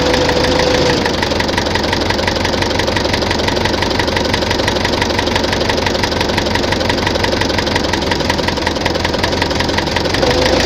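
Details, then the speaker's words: Tractor diesel at idle knocking sharply and steadily about three times a second; heard at idle and mid revs, not at high revs; fuel pump and injectors ruled out; head fine, heavy wear found in cylinder 4. "Щось у тракторі стукає. Топлівний возив, форсунки возив, не воно. Що? Буду розбиратися. На оборотах не чуть його, а оце на холостих, на середніх."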